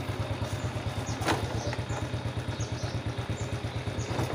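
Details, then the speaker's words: Honda Dream single-cylinder motorcycle parked with gear engaged: steady, even putter of about three beats a second that never falters; normal idle in gear, not stalling, unlike the clutch-spring fault that stalls it. "นี่คือสภาพปกตินะครับแต่ถ้าเราจออยู่แล้วอ่าเข้าเกียร์รถดับเนี่ยมันจะมีปัญหาและผมคัดนะครับ"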